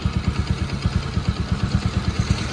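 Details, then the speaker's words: Bajaj NS200 BS3 single, after repair for engine-noise complaint: timing chain tensioner replaced and tappets adjusted, radiator fan working. Even idle thumping about seven times a second, no knocks or clatter; healthy. "വണ്ടി N S BS three എത്ര sound ആണോ ആ sound എല്ലാം പക്ക ആക്കി എടുത്തിട്ടുണ്ട്"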